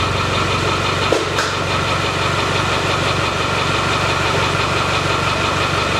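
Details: Land Rover 300TDI diesel after sump pan reseal, new oil filter and oil change, brief run: steady even idle clatter with no misses or heavy knocks; ticking over normally.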